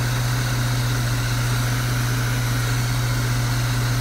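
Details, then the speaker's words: Truck at idle after replacing squeaking old alternator belt with thicker heavy-duty belt, voltage now about 14.8: deep steady idle, even low hum, no belt squeal or chirp; smooth and healthy. "car battery and I gotta say this is running so smooth"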